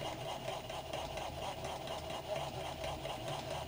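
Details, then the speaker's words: Small motor in a PID control prototype, motor speed raised from 150 to 200 on both sides, whirs in uneven pulses about twice a second, overshooting and hunting around the setpoint without settling. "ça ne va pas du tout je vais l'arrêter je vais l'arrêter pourquoi parce que ça fait du bruit donc qu'est-ce qui s passé ben j'ai augmenté la vitesse des moteurs"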